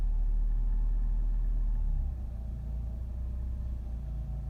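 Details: 2014 Nissan Rogue at idle: deep, muffled rumble with a dull knock repeating about four times a second. Rod knock, confirmed as connecting rod bearing run-out.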